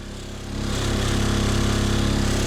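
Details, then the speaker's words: Cheap turbo diesel Mercedes bought sight unseen, cabin recording in reverse or drive: diesel clatter rises to a steady drone with heavy low throb vibrating the whole car, smoothing slightly in park; engine mounts basically completely broken. "guy listed this as a smooth ride that is not a smooth ride these motor mounts are so bad it's just vibrating the entire car"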